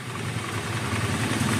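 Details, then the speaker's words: Older carbureted Honda Vario 110 scooter right after carburetor service, started and blipped about a minute to warm slightly: steady, even putter with fast light firing beat, no misses or stumbles; running cleanly. "Motor dibiarkan dulu digas-gas sekitar 1 menit biar agak panas sedikit ya."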